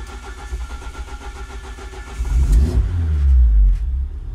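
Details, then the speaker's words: Ford Focus ST170 with GSXR 750 throttle bodies, ME221 ECU (TPS-only), hot at 88 degrees: about 2.5 s steady cranking with 40-50% throttle, then catches cleanly and revs smoothly; normal hot start. "it's a nice bit of 40 50 percent parallel seems to get it firing up and it might sound like a slow start and it's not fighting it was quick"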